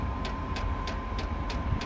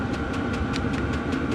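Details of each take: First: Chinese diesel heater on first start, not primed: pump ticks about three per second over a faint fan hum with no burner roar, then it shuts down; failed start with no diesel reaching it, priming needed. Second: Chinese diesel heater on setting P5, all six lights lit to red, running off a small power supply: steady combustion roar with a light, even pump tick about five per second; normal running at high output.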